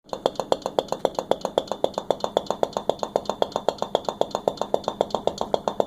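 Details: KitchenAid KSRP25F (KSRP25FNSS00) refrigerator knocking: steady sharp knocks, roughly two per second and very even, over a faint hum; cause not yet determined.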